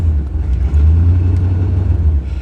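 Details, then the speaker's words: 1988 Chevrolet Suburban 2500 V8, first start after six years in storage: deep, uneven low rumble at idle like raw exhaust escaping early, with a strong fuel smell. Broken exhaust header blowing. "Man, you can really hear that. You can really hear that broken header."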